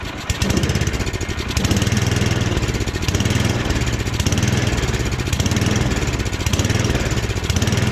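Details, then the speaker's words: Snowblower small engine during a full rebuild, cold first start with the choke partly on: an uneven, lumpy low putter with irregular beats that hunt and stumble; it runs rough when cold, and the owner suspects it needs more choke. "A little more throttle. Oh, maybe she needs a little choke in her life."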